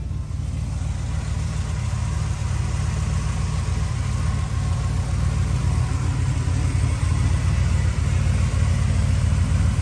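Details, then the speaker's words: Lifted 1978 GMC Custom Deluxe with Flowmaster 40 series true dual 3-inch exhaust: deep, even burble at steady idle, no knocks or misses; engine sounds pretty good. "And the engine sounds pretty good."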